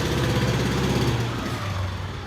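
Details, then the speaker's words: Polaris 90 with choke still on: rough lumpy low putter that sags instead of revving cleanly; bogging from choke left on. "shoka's still on that's why it sounds like that"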